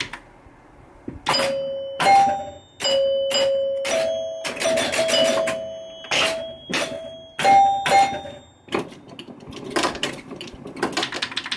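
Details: 1974 Williams Skylab pinball with chime box modified to Gottlieb chimes, chime box fully on: clear bell-like chimes in separate, sometimes overlapping strikes, each decaying cleanly; healthy.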